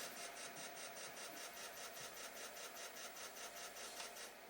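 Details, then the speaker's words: Atari SF354 Atari ST floppy drive after belt replacement: a steady whir with an even tick about 2.5 per second as it retries. The disk reads as possibly damaged; owner suspects the heads need cleaning. "It says data on this disk on drive B may be damaged. It probably needs a cleaning."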